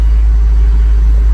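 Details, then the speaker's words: 1999 Honda Odyssey after fuel pump replacement, previously stuttering at idle: low, even rumble with no stumble or surge; clean, steady idle, and it accelerates better. "now says a good clean Idol I could hear the pump running so we're doing good"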